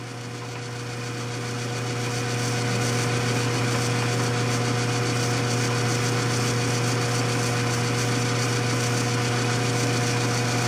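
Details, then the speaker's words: Vintage Shopsmith 10ER with slow speed kit, AC motor at constant 1725 rpm, headstock on low range: spins up to a smooth, even hum about 1360 rpm; no knocks or grinding, normal. "amount of torque it's really a nice slow running speed 208 rpm"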